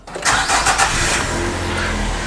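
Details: 2009 Nissan Teana 2.0 JK before servicing: brief crank, catches at once and settles into an even idle with no stumble or shake; healthy start, engine sounds normal.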